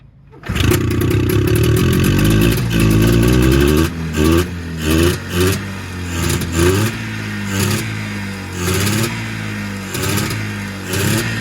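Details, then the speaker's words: Arctic Cat Jag 3000 snowmobile barn find, cold start after sitting: engine catches, revs cleanly in uneven throttle blips, then sputters and dies as it runs out of fuel; otherwise healthy, a good runner. Carburetor condition unknown. "Here, run the throttle. There we go. Sounds healthy. Now it's running out of gas. Yeah, look at that. Sounds good. So we got a good runner here."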